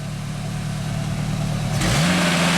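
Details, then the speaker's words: 1995 Genie Z-45 boom lift engine runs unevenly at low speed, then surges and hangs before stalling; it is suspected to have used up the fuel in the carburetor and may not restart. "So it works. And then it starts doing that, right? And now the next time you start it, it probably will not start. Ah, because they used up all the fuel in the carburetor."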